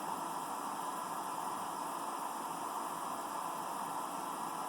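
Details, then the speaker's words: Computer power supply after a hot-glue insulation repair attempt on the coil, powered up: thin, steady, unchanging high whine over a hiss; coil still singing, no better, maybe worse. "that doesn't that doesn't sound any better in fact it may sound may sound actually worse than it did before"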